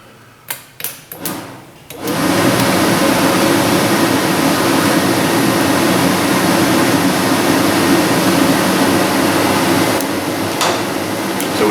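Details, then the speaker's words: 2003 Dodge Ram 2500 heater box during a heater core and blend door job: quick actuator clicks, then steady blower rush whose tone shifts as the blend door swings to route air through the heater core for the hot setting. Normal operation. "it change tone plus we see the linkage uh with the flaps up uh we should be running"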